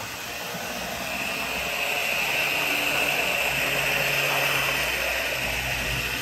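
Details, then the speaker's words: Older Bachmann GP40 locomotive, CP Rail, after cleaning and lubrication, laps on loop: steady loud high buzzing whir with strong hissy edge, not as quiet as it should be; owner suspects motor and gear noise resonating through shell. "that's not as quiet as it should be especially with all that Loop I'm going to run it in reverse for a few laps"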